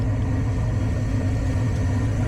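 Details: Furnace draft inducer motor running after replacement of old inducer that sounded like a diesel on a no-heat call: steady, even low hum with no rattle, scrape or wobble; pressure switch then closes and burner lights.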